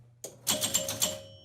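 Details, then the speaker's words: Gottlieb Sure Shot electromechanical pinball: hitting the 500 target makes several score reels clack together in a quick burst. Relay heard locking on, and rollovers buzz without scoring. Score reels stepping together. "if i hit this 900 or 500 sorry watch what happens with the score they go in unison so that's one challenge i need to figure out"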